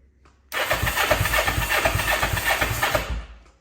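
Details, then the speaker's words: Crank attempt on a 500cc Kawasaki Ninja-engined carbureted minibike after the loose right-cylinder spark plug was tightened, fuel tap on. The starter spins in even pulses for nearly three seconds but it never catches: it is out of gas. "yeah did a quick diagnosis and um fig Out start ain't got no gas to make it start mm we need to get more gas"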